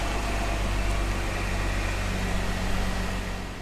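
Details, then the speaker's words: 2015 Jeep Wrangler idling smoothly after a DIY oil change with Havoline 5W-30 and a factory Mopar filter, engine run a minute to check for leaks; low, even hum with no knocks or ticks, a healthy idle. "And we're going to crank it, let it run for a minute. And check the oil."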